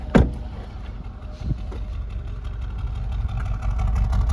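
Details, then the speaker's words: 2021 Mercedes-AMG CLA35 4matic turbo at idle: lumpy, uneven idle with irregular exhaust pulses sounding like a misfire, but no check engine light and none felt; exhaust may just make it sound that way. "God, sounds like it's got a damn misfire. Hear that? That's what it sounds like. But there's no check engine light and you can't feel it. But that exhaust makes it sound like it has one."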